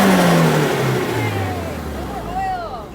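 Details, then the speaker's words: Nissan build with Link ECU, previously crank-no-start, after a new injector was unplugged: revs blip and fall smoothly with no misfire, slightly smoky; running much better. "Thing seems to be running a lot better, but why didn't it want to start? That was weird."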